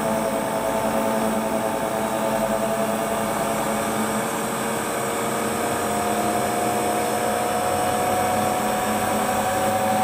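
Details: Hotpoint Ultima WT960 washing machine (7kg), test spin after repair with brand new replacement drive belt: steady even whir, faint constant whine, drum spins up smoothly with no knocking or slapping. Normal spin.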